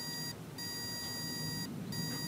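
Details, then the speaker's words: Auto pulse desulfator set to 12 V on a 12.1 V battery, running its repair cycle. Thin steady electronic tone broken by two short gaps: normal operation. "okay so now it does this cycle okay it will start working on the battery"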